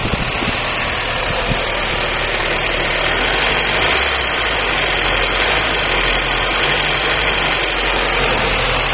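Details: 1999 Daewoo Nubira 2.0L DOHC at idle: uneven running with an irregular stumble and periodic dips in the engine note; an engine misfire, cause not pinned down.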